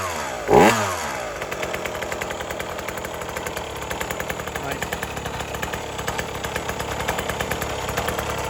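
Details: 1980s Cruise N Carry outboard, first pull-start after sitting about 20 years, following a carb clean, fresh gas, a fuel prime and choke. It catches at once and settles into a steady, slightly uneven two-stroke burble; normal idle.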